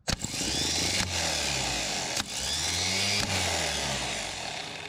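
High, fast whirring in short bursts about a second apart, each spinning up crisply and evenly; the starter spins freely and strongly on the bench.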